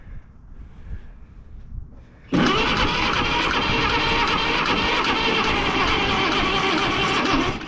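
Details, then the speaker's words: Caterpillar D8H bulldozer sat 15+ years, gasoline pony engine on jump pack, water still dribbling from carburetor: loud steady chug at about three beats a second; slow cranking, unsure whether jump pack or starter is the cause. "actually sounds good now I think it like real slow it was doing that before I don't know if it's your jump pack or the starter"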